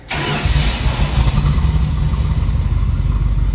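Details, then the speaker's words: Bombardier snow vehicle with carbureted engine, unmoved six months, after repairs including fuel lines and linkages, first start before test drive: catches almost instantly into steady even low rumble, no misses; normal start. "That's how easy it starts with a carburetor. No screwing around."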